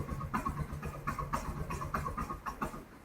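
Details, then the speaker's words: Carbureted Yamaha XTZ 125 before carburetor and air filter cleaning: uneven, stumbling idle with ragged bursts and dips; dies quickly without choke and cuts out when throttled at idle, carburetor suspected. "So basically it will die off pretty quickly without the assistance of the choke."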